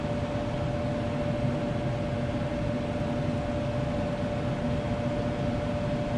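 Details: Furnace that was not blowing hot air, fault being a bad solder joint on the control PCB; steady, even blower whoosh with one constant mid-pitched hum, no rattles or scraping, running normally.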